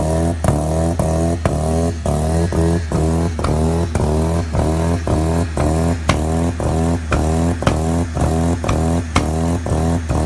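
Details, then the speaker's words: Factory Five 818 with 13B rotary, first startup: steady high idle around 3,000 rpm with choppy, regular pulsing. The AEM Infinity wouldn't recognise the throttle body, so the idle stays high. "now in that video as you can hear she was just screaming the throttle body wasn't wasn't hooked up right"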